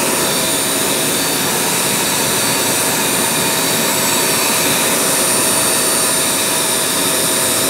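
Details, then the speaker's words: Blower on a homemade ultrasonic vinyl record cleaner, drying water off a record: a loud, steady rushing roar with a thin constant high whistle and no wavering or rattles. Normal running. "I'll just show you how it blows all the water off turn this on it's a bit noisy"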